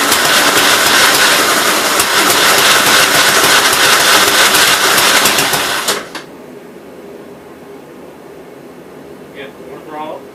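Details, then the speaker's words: 1957 SR Gravely single-cylinder after top-end rebuild, exhaust band fitted, unrun for a couple months: chugs fast and even, then stalls abruptly after about six seconds. Owner first thinks it's flooded, then suspects fuel issues from old, low gas. "i think i'm having fuel issues now i haven't had this thing running in a couple months there is some gas in here but i don't know how good it is actually needs more fuel"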